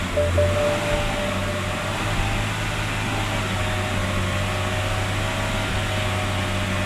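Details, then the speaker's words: 2006 BMW E90 325i/330i first start after crankcase ventilation system and intake manifold gasket replacement: smooth, even low hum for seven seconds, no misses or knocks; idling cleanly despite smoke from a valve cover gasket leak. "So here's what happened, guys. The car is running, and it's running actually pretty good, decently fine,"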